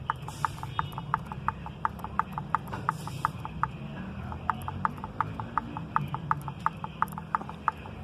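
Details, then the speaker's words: Mercedes-Benz C200 M271 engine with a noise at start-up, new chains and guides: sharp light clicks about three per second as the unbolted original camshaft adjuster gear is rocked by hand; excess play in the gear, replacement shows minimal play. "ahora le sale puntito ya se dieron cuenta del juego que estoy haciendo"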